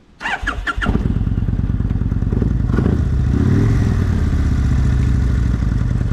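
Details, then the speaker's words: 2001 Kawasaki Vulcan 1500 Nomad V-twin after fitting coaster plates, removing reed valves and single-side air filter: steady even loping idle set a little over 1000 rpm; runs good, normal idle. "happens so the idle set about a little over a th000 but it seems to run good or at least idle for now"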